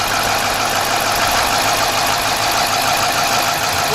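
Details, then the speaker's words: Chrysler/Dodge/Jeep with code P0305: idle stays equally rough with cylinder 5 coil unplugged, so that cylinder is dead; cylinder misfire from oil-fouled spark plug. "Unplug it again. Okay, it does not make a difference at all."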